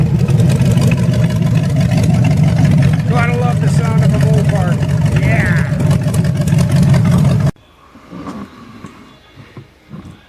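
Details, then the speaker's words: 1928 Dodge with 440 V8 after cam break-in, timing and carburetor set, fan welded to hub curing overheating (never above 180°F), clean oil filter; deep strong rumble running evenly, picking up cleanly then dropping away; healthy and well tuned. "got the cam broke in timing set carburetor set and it sounds awesome i'm really really happy"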